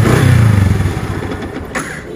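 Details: Motorcycle electric starter after fix: cranks smoothly with an even low whir, growl gone once the dry starter motor end was greased.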